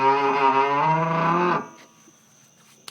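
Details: Car raised with wheels off the ground, steering turned slowly by hand at the wheel: drawn-out groaning creak rising slightly in pitch, then dying away; ball joints show no up-down play, source unknown.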